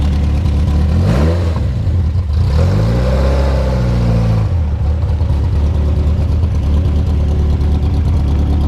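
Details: 1973 Volvo 142 SCCA race car, after warm-up: deep, even idle with two quick throttle blips that climb and settle back cleanly; healthy warm engine.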